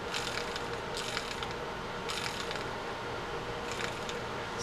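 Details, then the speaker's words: Maxel Hybrid narrow-frame lever-drag saltwater reel during service, drag star adjuster turned after reassembly: quiet, crisp, even bursts of fine clicking; the clicker works properly. "and we can complete the uh the turning of that and you got the clicker you know you're working well we'll give it a run"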